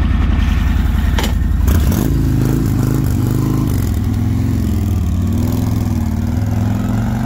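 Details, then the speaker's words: Harley-Davidson started on the delivery trailer and backed off; the check engine light was noticed on afterwards. Deep, uneven V-twin lope rising and falling with throttle as the bike is moved, no knock or tick, owner says it sounds good. Normal running. "bringing the bike right on down look at your look at your boy that thing sound good man"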